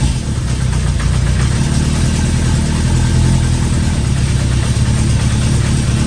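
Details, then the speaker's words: The 350 motorcycle started at storage space with choke up and idle turned up, Seafoam added to fuel, windy outdoors: steady low even idle with regular beat, no misses or knocks over wind rumble; now idling smoothly, much better than before. "she's idling a lot better I put the seafoam in there"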